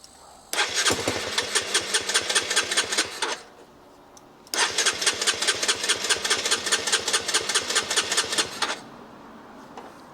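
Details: Two bursts of starter cranking at about two and a half turns a second without catching on a crashed, abandoned 8,700-mile Honda CBR125 during rebuild; fuel injection warning light flashes, cause not confirmed.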